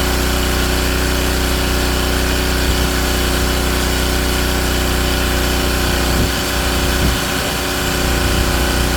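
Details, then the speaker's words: King Canada Powerforce 1500W generator after the governor was readjusted, now responding and being trimmed to about 121 volts. A steady, even drone holds speed without hunting or surging; normal governed running. "And it's doing it, and it's responding this time."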